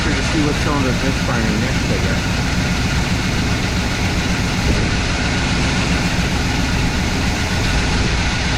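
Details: IHC/Blazer wrecker, previously no-start, after battery recharge and timing adjustment: dense, even V8 rumble with steady firing beat, no misses or knocks, holding a smooth idle. Normal idle.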